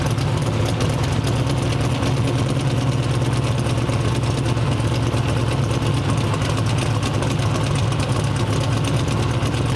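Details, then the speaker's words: Twin-turbo 427 V8 on the dyno: deep, lumpy, uneven rumble that never smooths out; misfire from four bad ignition coils, cause of the coil failures unknown. "a little rpm is seven so that we have four bad coils"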